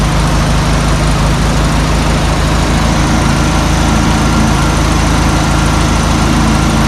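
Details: 1972 Volkswagen Super Beetle, first run after about 20 years in storage, following carburetor cleaning: a deep, steady air-cooled chuffing at idle with an even beat and no misfire or knock.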